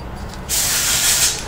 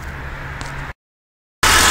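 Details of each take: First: Holden Commodore V6 drive belt idler pulley bearing, removed and spun by hand: dry gritty crumbly rasp about a second; worn out, noise changed with revs and was mistaken for transmission. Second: Holden Commodore V6 (VR–VY) after replacing the failed bottom drive belt idler pulley bearing, whose noise changed with revs like a transmission fault: engine catches after a short pause and idles steadily with no chirp, squeal or bearing rumble.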